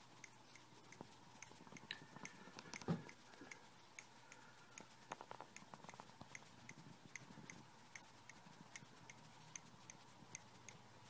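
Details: MacBook Pro 17 laptop making sharp, evenly spaced clicks, one or two a second, over a faint steady hum; cause unknown, recorded by moving a mic across the case.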